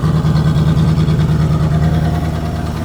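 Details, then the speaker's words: Chevrolet Corvette V8 at idle after a full exhaust install, with fuel being added; deep idle with an uneven, stumbling, skipping beat and a tick nearby; misfire, not terrible, and cylinder temperature checks later show number seven running cold. "Add some more fuel. See if we can get this thing to come around a little bit. Definitely got a miss. Not terrible, but it's got a"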